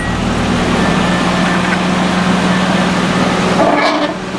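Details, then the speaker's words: Original one-owner 1980 Datsun 200SX, running after sitting about 5 years: firm, steady idle with an even low drone and no knocks, stumbles or hunting; runs pretty good. "Sounds like it's running. It's running pretty good here."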